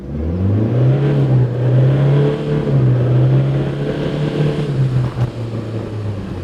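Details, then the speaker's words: Toyota Hilux N80 Revo automatic, 4WD low, from standstill at full throttle: engine note climbs hard then drops cleanly at each quick upshift; gearbox shifts fast, normal automatic upshifts. "i'm gonna hammer it and you will see at the speed this gearbox shifts which is actually awesome"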